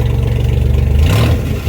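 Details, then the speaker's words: 1992 Dodge D150 pickup, restarted: deep even engine note swells smoothly with a light throttle blip and settles back, no knocks or ticks; sounds healthy. "okay that sounds pretty good to"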